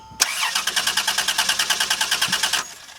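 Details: 2005 Dodge Grand Caravan no-start, cranking while testing coil trigger pin: starter spins in even pulses, about three a second, for over two seconds, never fires; no PCM coil signal, later traced to shorted EGR valve killing 5 V reference; crank no start.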